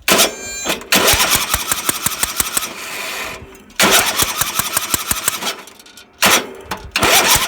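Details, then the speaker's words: Home-built racing mower that died on a test drive with a big white puff from the carburetor, now cranking: bursts of rapid, uneven ticking with no catch. Abnormal cranking; owner suspects a valvetrain fault such as a bent pushrod. "So, I don't know for sure what all went wrong in here, but it might be something in the valve train."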